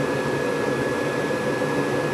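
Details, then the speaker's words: Rheem gas furnace during its sequence of operation: about 30 seconds after the hot surface igniter lights and the flame is proven, the indoor blower starts with a steady airy rush and constant hum, running normally. "give it about 30 seconds you'll hear the indoor fan motor come on"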